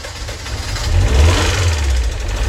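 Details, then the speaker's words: MG TF engine first start after head gasket, water pump and timing belt replacement, idle for five or six weeks: fast light tappet clatter following revs from dry hydraulic tappets, gone after about 10 minutes once oil circulated. "And just a quick note to say the horrendous tappity noise your tapping noise you can hear when I start the engine up. Uh that was the tapets. Uh they've been standing still for five or six weeks."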